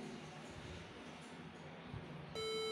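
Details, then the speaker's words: HP EliteBook 840 G3 laptop at power-on: steady shrill beeps in sequence with the F12 key lit, indicating a damaged RAM module; swapping sockets doesn't help. "So when your computer sounds like that it means that there is a problem with the RAM memory those are those beeps in sequence"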